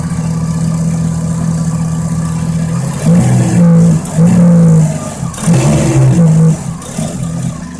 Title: RX7 Exhaust Leak